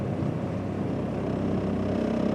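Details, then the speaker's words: Ford Escort ZX2 at a stop after the melted PCV hose was replaced, very cold and not yet warmed up: steady low idle with only a faint vibration and light rattle; RPM steady, no surging. "You can hear a light vibration right now. All these cars vibrate in general, right from the factory."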